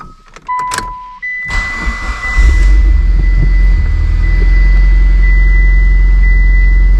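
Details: Mitsubishi Evo X with a knocking engine, first start after work: starter cranks, engine catches and settles into a steady low idle with no knock or ticking, faint chime overhead; power steering and fuel leaks since fixed.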